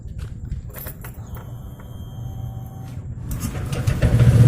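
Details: Honda Vario 125 fuel-injected scooter after repair of a tampered TPS sensor (8-blink injection code, earlier misfiring and exhaust pops): starter whirs briefly, then the engine catches and settles into an even, steady idle, starting cleanly and running healthy.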